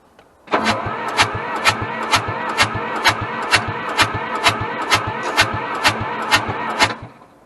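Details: Hamm DV3K roller/packer diesel bought as inoperable at auction: even starter cranking, about two compression pulses per second for six seconds, oil pressure present, no catch or firing; cranks but won't start.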